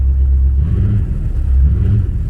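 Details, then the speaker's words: Engine with Dinan coils and fresh plugs: lumpy, uneven idle with a loping beat like a big-cam engine, "like an old school Chevy"; one cylinder dropping out, injector suspected. "I'm gonna show you how easy how easy she go back to being tamed like hear how you're actually running"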